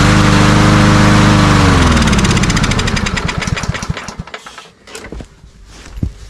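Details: Cub Cadet self-propelled walk-behind mower with primer bulb, before carburetor cleaning: starts, runs briefly, then slows and stalls within seconds as the prime burns off; fuel starvation suspected; oil on air filter.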